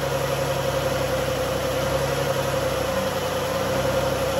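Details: 2011 Dodge Journey 3.6 V6, cold start after lifter and rocker replacement: smooth steady idle, even low hum, no ticking from top end; previous tick gone; brief power steering whine at startup, fluid low.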